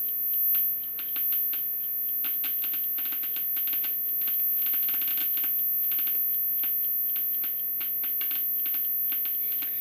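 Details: DIY Geiger counter with an STS-5 tube held near an americium-241 smoke detector source: quick, irregular random clicks pour out steadily over a faint hum, far faster than background; counter working normally, reacting to a strong source.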